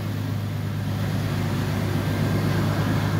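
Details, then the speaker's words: Engine after repair, first start after coolant drain and refill: smooth, steady low rumble with no tapping; previously timing chains rattled badly at startup, now gone, idling evenly and healthy. "let's see let's fire this hog up oh my goodness that is so much better [Music] before when I started you could hear the timing chains rattle like bad"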